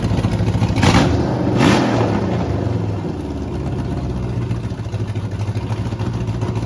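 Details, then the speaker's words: 5.3 LS V8 first start after full rebuild, truck Norris cam, BTR beehive springs, MSD ignition, oversized race carburetor, after swapping coils: uneven lumpy rumble with early surges, then ragged stumbling idle; running over-rich. "Um so it's obviously putting way too much fuel on it. So it's not running the best."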